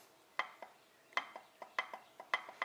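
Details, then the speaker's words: Nissan S14 (VK56 swap) rear diff with a Cusco two-way in the housing, installed on its original shims and checked with a micrometer: sharp metallic clicks as the gears rock back and forth show excessive ring and pinion backlash; it looks to need a roughly 2.35 mm shim. "Got it installed with the shims that were in there, and you can hear there's play going on."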